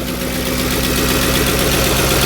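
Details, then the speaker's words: Ford F-150 4.6 V8 on its first successful start after rebuild, having failed before because the cam gear was installed backwards: a smooth, even idle with no knocks or ticks and good oil pressure. Normal idle; an oil leak is present. "Wow, it's nice and smooth. I can't believe I fixed it."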